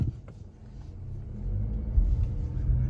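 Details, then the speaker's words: 2024 Mazda CX-50 that had been making a pop or click when pulling away from a dead stop, tested after repair with normal accelerations: only smooth rising engine and road noise, with no click. "good news no noise okay this is good news"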